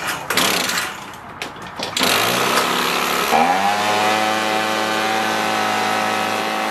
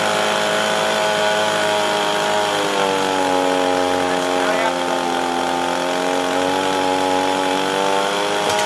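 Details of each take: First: Echo PB265LN leaf blower two-stroke, freed from seizure, fuel leaking: a few rough pulls, then catches into a fast steady high idle; air filter smells gas-soaked and is suspected of blocking airflow, idle screw turned all the way in. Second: Echo PB265LN two-stroke leaf blower, rescued from the trash with a seized engine, fuel leak and no start, after repair and carburetor adjustment: steady high buzz near full throttle, pitch dipping then settling; runs smoothly now, though carburetor limits tuning.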